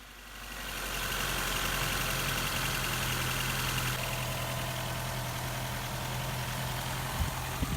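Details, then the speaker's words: 1999 Ford Contour after replacing the faulty coil pack that caused a misfire: engine restarted and idles smoothly and evenly with steady, even exhaust pulses, no stumble; check engine light gone. "now it's time to connect the battery back up like go to start the car now and immediately it sounds much better"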